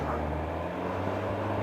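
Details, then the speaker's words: Kawasaki ZZR1100 (ZX11) four-cylinder idling on its centre stand after new coolant hoses, thermostat, fan, oil and filter and refurbished headers; hot day but still needs choke. Smooth, steady idle with no knocks or rattles; normal. "okay she sounds okay checked all the tire pressures hot day today but even so it still needs to choke"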